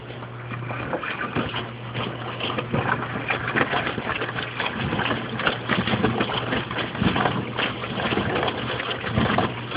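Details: Mueller Special washer, quick cycle, 60 °C wash, with a big absorbent duvet: irregular water sloshing and splashing in the drum over a low motor hum; normal wash action. An electrical noise is from a lamp, not the machine.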